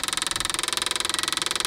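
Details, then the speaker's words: Cheap airplane's electric fuel pump running during a first-start attempt; the engine is believed to be original with about 100 hours. Fast, sharp ticking about sixteen clicks a second, and the pump may be louder than it should be; cause unknown. "coming up right here it does still sound empty I don't know if that pump should be quite that loud"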